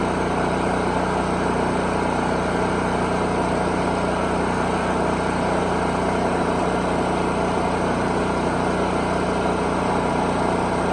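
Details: Predator 4375/3500-watt petrol generator, unused since last winter, after season prep including air filter cleaning, started on choke: steady, even hum with no surging or misfire, holding speed. Normal generator run.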